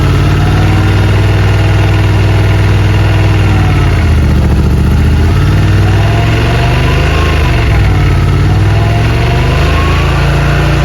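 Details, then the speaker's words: Yamaha RMAX 1000 UTV after clutch kit install: loud steady engine drone with gentle rev swells, no slipping whine or clatter; primary and secondary clutches moving, running smooth. "It's still smooth. Oh yeah. Yep. No problems. Everything's working good."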